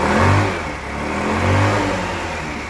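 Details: Wolf EX-150 scooter, GY6 157QMJ 150cc four-stroke, after a hard-starting fix: revs climb and fall back cleanly twice with even firing and no stumbles or misses. Healthy revving.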